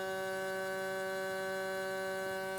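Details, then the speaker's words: Vacuum sealer runs with a steady electric hum, low buzz and bright overtones but never pulls down; the bag was inserted too far into the sealer, and it sealed once repositioned. "Nope. Let's try again. There it goes. I just had it too far down in."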